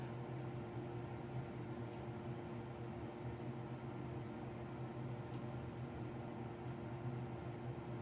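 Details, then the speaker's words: Bathroom exhaust fan kicking back on every 15–20 minutes around the clock, not cured by replacing the wall sensor switch: steady, even fan hum with a low drone and fixed tones; cause of cycling unknown. "have this thing constantly running every 15 minutes or 20 minutes kicking back on and this is cycling 24-7 so this is what we're dealing with"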